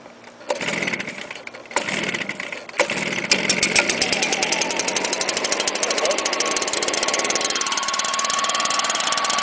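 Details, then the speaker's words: Stihl leaf blower with manual choke and no primer, started on choke then switched to run, catches after a few cord pulls and holds a steady high buzz; it still runs perfectly well. "see still runs perfectly well"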